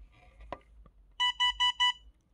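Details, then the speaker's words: iTronics ITB200L dashcam gives four quick, evenly spaced high warning beeps when the memory card needs formatting or is missing; card should be formatted often by holding the button 5 seconds. "그렇게 안 하게 되면 여기서 이제 뭐 이상한 소리가 납니다. 어떤 소리가 나나 한번 들어보세요, 여러분. 되게 듣기 싫은 소리가 나."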